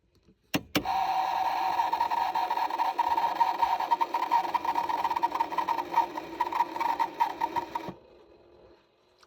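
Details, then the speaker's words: Vehicle heater/AC blower will not turn on: wavering mid-pitched whir pulsing about twice a second, then stops by itself after about 20 seconds; a blend door heard on the passenger side, cause unconfirmed. "cannot get the heater fan, AC fan to kick on, but it will make this unusual noise. Then it stops by itself"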